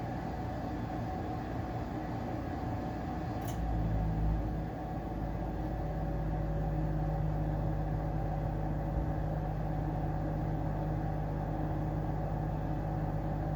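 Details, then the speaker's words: Amana 95 IIQ two-stage variable-speed gas furnace start-up on heat call: variable-speed draft inducer kicks on high for initialization; low steady rumble, then hum settles and holds even; normal startup. "When the furnace, when it calls for heating, you'll hear a fan kick on, that's going to be your draft inducer. It's also variable speed, just like the main blower. It'll kick on to high for like initialization, make sure everything's working properly there."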